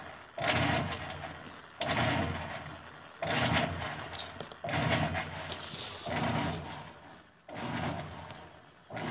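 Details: Electrolux LF 750 washing machine: short agitator strokes about every second and a half with quiet gaps and no return stroke; agitator turns one direction only, control board suspected and being swapped for testing.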